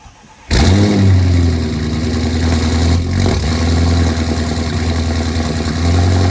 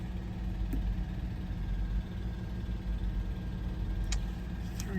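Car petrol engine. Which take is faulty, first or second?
second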